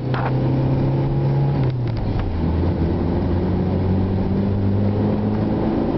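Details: Honda Integra at 3/4 throttle in 3rd and 4th gear: engine drone climbs and holds high without matching gain in road speed; clutch slipping under acceleration.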